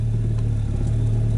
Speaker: Завели машину. У нас, значит, тахометр показывает 1000 оборотов. Обороты мы видим устойчивые.